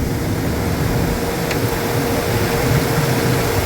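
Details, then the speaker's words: Replacement belt-driven vent hood fan motor, belt slack taken up by hand, fan does not speed up so tension judged right: even steady hum and airflow rush, no squeal or slap; normal running. "cuz it Doesn't speed up any if I take the if I tighten it up"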